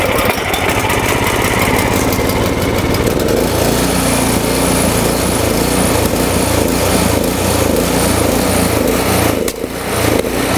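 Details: Surging snowblower engine being tested with Seafoam: a small petrol engine runs with an uneven beat, its speed hunting up and down instead of holding steady.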